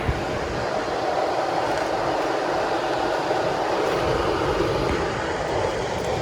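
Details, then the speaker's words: Sierra Global dehumidifier beside Rheem air handler: loud steady fan roar with airy rush, no rhythm or pitch change; noisy running, cause not stated. "tell you what that thing is noisy"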